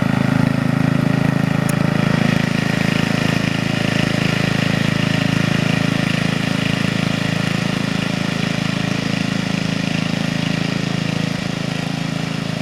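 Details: 1975-ish Snapper Comet 3081 rear-engine rider mower, 30-inch deck, 8 hp, restored and repainted, mowing a backyard: single-cylinder drone beats steadily and evenly under mowing load with no misses or knocks; sounds healthy.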